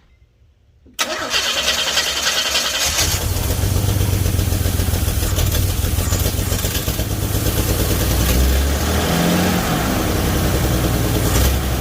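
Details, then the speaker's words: 1978 Chevy Nova engine started after engine-bay pressure wash; cranks, fires, settles into low, lumpy idle with uneven beat and dips; owner believes idle was turned way down because of a brake booster issue, not confirmed. "so so i just wanted to show you real quick that it does run the idle is not correct i believe that it's been tuned way down on the idol apparently because the issue with the brake booster"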